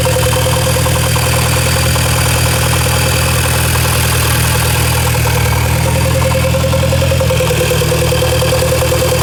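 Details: VW Golf MK5 GTI at idle: loud steady constant mid-pitched tone with an irregular fast patter on top; owner asks if it is normal, cause unknown.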